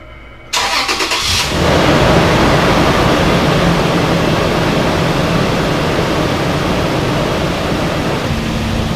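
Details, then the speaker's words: 2006 4th-gen Toyota 4Runner after oil and filter change and catch can check at 7500 miles: quick crank, clean catch and smooth even idle, no misfire, knock or ticking, no oil leaks; running very smoothly. "All right, and it's running very smoothly, so we are good to go."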